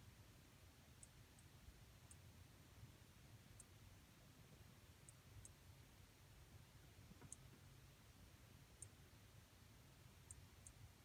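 Quiet room with faint, sharp ticks coming irregularly every second or two, unrelated to any motor; the monitor is ticking.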